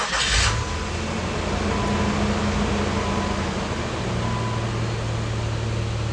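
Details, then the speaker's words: 2001 Nissan Xterra just after an alternator replacement: the engine cranks, catches and settles to a steady idle with no whine or squeal, no battery light, and 14.3 volts up from 12.8, so the new alternator is charging. "good sign right off the bat is we do not have a battery light there you go 14.3 volts alternator is working everything's happy"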